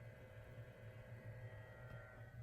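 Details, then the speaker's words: Early-1970s Electrohome 652-1 20-inch two-speed box fan, motor with dark windings, on low: very quiet, even low hum with soft steady rush, no ticking or rattle; draws just above 1 A, healthy motor. "so seems like a healthy motor despite the dark windings alright low oh nice very quiet"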